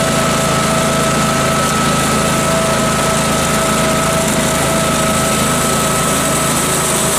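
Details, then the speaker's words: Case 446 garden tractor with snowcaster: small engine labouring under load with a thin steady whine, drive slipping; new belt fitted, but owner now suspects a slipping sprocket rather than the belt, chain possibly stretched. "I'm not sure it was a belt that was slipping um which you may have just heard it was I think one of the sprockets over here slipping"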